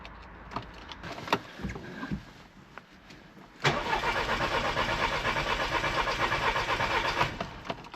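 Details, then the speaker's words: Audi TT no-start with a newly installed fuel pump, on booster power with the key cycled: a few light clicks, then a steady buzzing hum of about three seconds that cuts off; the fuel pump primes normally. "Ah, there we go. I can hear the fuel pump now. Just cycle the key a few times."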